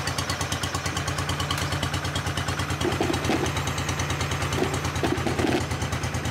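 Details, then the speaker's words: Honda 1211 ride-on mower after repairing the transmission cooling fan: even single-cylinder thump at steady idle, earlier rubbing noise gone, running normally; owner hears a faint new small noise. "Il n'y a plus le sale bruit là. J'entends un tout petit bruit moi que je connaissais pas avant."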